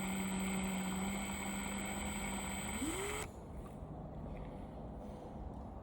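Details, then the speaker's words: Copper wire stripping machine: steady low hum rises briefly then drops to a quieter whir as the blade spins with nothing feeding, meaning the wire has reached its end or hung up. "When you hear it humming like that, that means meet the end or it hung up. It's gonna sit there and spin, spin, spin."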